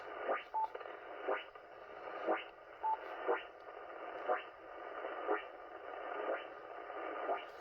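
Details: Hissy static on the 80 m ham band (3.5–4 MHz) with a wide sweeping burst about once a second, wiping out the band. The source is unknown; it continued after turning off the inverter/breaker, and the owner suspects something charging. Pulsed RF interference.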